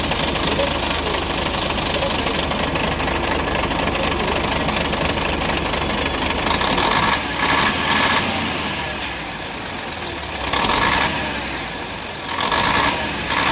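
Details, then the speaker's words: UD CK450 truck, Nissan PF6 six-cylinder diesel that suddenly began misfiring, losing power and stalling under load: loud idle with an uneven, stumbling beat and loping dips; injection pump plunger No. 5 delivers no diesel, so one cylinder isn't firing. "ये वाली जो है 5 नंबर जो इसका प्लंजर है, इस तरफ से डीज़ल नहीं आ रहा। तो जब 5 नंबर प्लंजर की तरफ से डीज़ल नहीं आएगा तो आप समझ जाएं जो ये 6 सिलेंडर इंजन है, 6 सिलेंडर में से एक सिलेंडर काम नहीं कर रहा, 5 सिलेंडर काम कर रहे हैं।"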